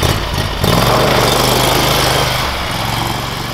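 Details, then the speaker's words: Predator 670cc engine in a Yerfdog Spiderbox off-road go-kart on its first ride: steady low drone that never climbs, about 2,000 rpm by ear, too low to fully engage the torque converter; cause suspected, not confirmed. "okay so what I found out is the uh the engine isn't revving high enough to really engage the torque converter we're probably only getting like it sounds like 2,000 RPM somewhere around that out of it"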